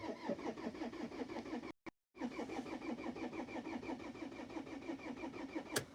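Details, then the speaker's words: Pizza van diesel in hard frost, first cold-start attempt with thick oil, never cranked this hard before: starter spins at about three compression beats a second, pauses, keeps cranking, never fires; no-start, glow plug error from an earlier diagnostic suspected. "Ahah, ohi, ei lähegi. Nii, päris huvitav puraks, läinudki kohe käima."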